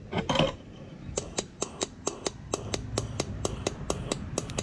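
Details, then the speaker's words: 2009 Cummins 6.7 diesel injector energized from battery with air pressure, air heard through bypass at empty injector hole: crisp sharp ticks about four or five a second; solenoid switching cleanly, injector working really good. "if you listen real careful hear the air so that shows the injector is working really good"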